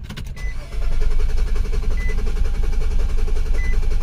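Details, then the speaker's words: 2008 Nissan Quest 3.5L crank no start, codes U1000 and P0726, fuel volume tester fitted showing no fuel: steady starter churning with repeating chime, never fires; no fuel delivery, later found tank empty. "so there's nothing so what I'm going to do is I'm going to make sure we got fuel in this"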